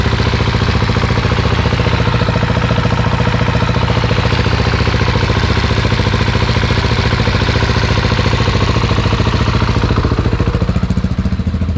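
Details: Husqvarna 701 Enduro Euro5 single after engine overhaul with new cam chain tensioner, just started from cold. Even, steady big-single thump at idle with no knocks or rattles; running smoothly; normal idle.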